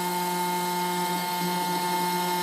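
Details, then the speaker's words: Grundfos SQ-series 3" submersible well pump (SQ190/SQ200, customer return) in test tank, deadheaded around 110–120 PSI (3 GPM at 110); steady hum with constant higher whine, no surging, rattle or cavitation. Normal operation under high pressure, about 4 amps. "it says zero so I've deadheaded"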